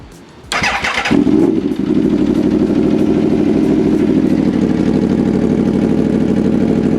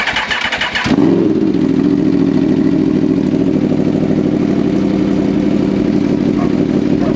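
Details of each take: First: 2014 Aprilia RSV4 after reconnecting the intake air pressure sensors and hoses and clearing codes: starter whirr, then a steady, even idle with no revving up and down. No stored or new faults; running healthy. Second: 2014 Aprilia RSV4 after reconnecting disconnected intake air pressure sensor hoses, service warning still showing: it starts to a loud idle that won't settle, and revs hunt up and down in uneven waves. One sensor hose is still unplugged; cause unconfirmed.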